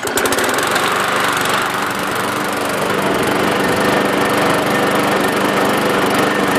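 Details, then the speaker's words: Lawn mower, single-cylinder, after blade replacement and washing a dirty air filter: steady even buzz at working speed with no surging, knocking or missing; runs okay, owner may still clean the diaphragm. "So yeah, it runs okay."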